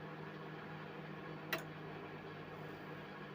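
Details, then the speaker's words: Mirta MW-2501W microwave in for repair, not heating: after clearing debris that jammed the fan, fan spins and the loud hum is gone; quiet steady whir, normal operation. "І вже, як бачите, вентилятор обертається, але все рівно я чую, що він вже не гуде."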